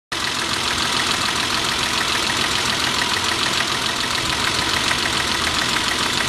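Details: Steady idle with a fast, loosely regular tapping about three per second over a hissy, bright running sound; owner unsure whether it is piston slap or rod knock.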